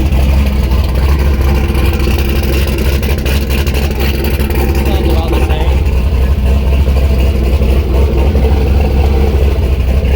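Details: Turbo LS V8 Miata after exhaust heat wrapping and V-band joint realignment, not run too hot: deep steady V8 rumble, strong even low burble, no ticking or hissing leaks; engine running normally and still sounds good.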